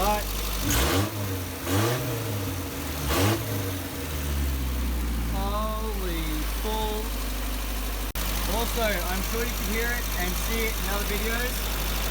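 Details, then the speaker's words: Isuzu Rodeo 4ZE1 after a top-end rebuild with a new head and the old cam: it revs cleanly and settles to a stable, even idle on all four cylinders. Slight timing issue suspected; compression still to be checked. "she is running on all four cylinders and we have to check the compression but my god does it sound good"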